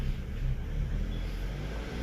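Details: Mazda 3 with intermittent misfire and stalling: rough, uneven revving with a low rumble that surges and sags; faulty coolant temperature sensor makes the car think it's cold or hot, upsetting the mixture.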